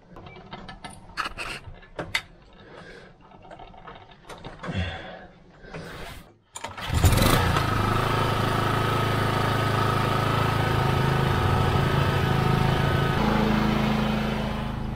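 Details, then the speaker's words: Old petrol generator after fix, fine cotton mesh temporarily fitted in place of the clogged paper air filter: catches after handling noise and settles into a steady, even drone, no misses or surging; owner suspects it may be due for rings or valve seals. "it's a pretty old uh generator but it should go for a while yet i think it's probably true for a set of rings or valve seals but um yeah it's it's sounding all right now so i'll just keep running it"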